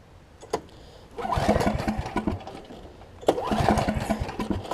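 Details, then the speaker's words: Snapper 28-inch rear engine rider mower, choke off, in start position, throttle broken, ran moments earlier: two bursts of choppy uneven cranking that never catch; cranks but won't fire, owner wonders about a safety switch. "not even trying which is weird the choke is off now so weird it's like it doesn't even want to go which is strange because I just started it up on the first pole"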